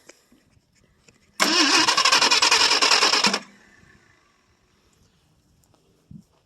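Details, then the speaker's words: 1968 Ford LTD 390 FE two-barrel, off the road since 1999, cold start on fuel poured into the carburettor: catches quickly, runs about two seconds with steady, even firing, then dies once the fuel is used up; sounds healthy. "Give it a little throttle. Still runs pretty good though, sounds good."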